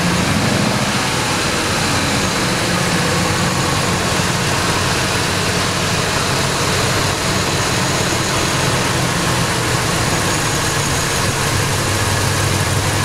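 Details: Ford 5.4 Triton V8 at about 100k miles with likely no oil changes, running 10w-40 after repeated flushes. Tar and metal shavings were found in the pan, and the top-end lifter tick is gone. A steady idle with a dull, even lower-end knock that persists when revving, cause unknown.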